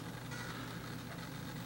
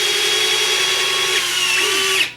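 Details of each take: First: FMS BlitzRCWorks Super B-25 RC model: a steady low buzz persists after the retracts cycle, drawing about 0.1 A; owner suspects the gear door servos straining and plans to adjust them to stop battery drain. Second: FMS BlitzRCWorks Super B-25 RC model electric retracts cycling: small motor whines at steady high pitch about two seconds, stops, then a short second burst; normal.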